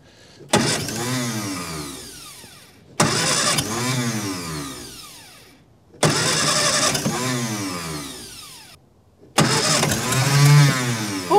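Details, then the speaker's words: Barn-find 1954 Austin A30 stored since 1971, earlier no-compression failure: four separate cranking bursts of a couple of seconds each, the engine firing a couple of times but never running on its own. "that fired didn't it yeah it's f a couple of times isn't it yeah it's trying"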